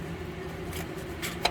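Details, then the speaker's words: 1988 Buick LeSabre 3800, engine off: single sharp metallic clunk as the harmonic balancer's loose outer ring spins by hand; rubber cracked all around, balancer busted and needs replacing; tensioner pulley also spins too fast, may need replacing. "And it clunks. So this harmonic balancer is busted."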